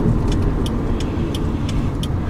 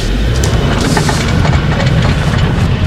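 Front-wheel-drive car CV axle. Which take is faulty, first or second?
second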